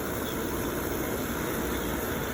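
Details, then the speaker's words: Firelake/Shenandoah waste-oil furnace after fitting an A2RA-7740 waste-oil pump, still purging air: a smooth, constant burner roar with no pulsing or sputter; normal burner operation. "so there you go right up it's gonna carry on for a little bit getting the air out and all that"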